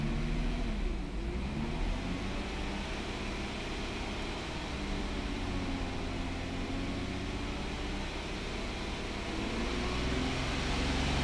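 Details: 2009 VW Touareg 3.6L with check-engine light, P0507 idle rpm higher than expected and P2187/P2189 lean on both banks, rpm raised slightly: steady drone with uneven, shaky beat; lean running from internal PCV leak in the valve cover.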